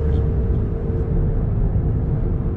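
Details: Honda car while driving: low muffled drone with a steady faint hum under road rumble, fading as speed drops, coming from the front (left or right unclear); worn wheel bearing.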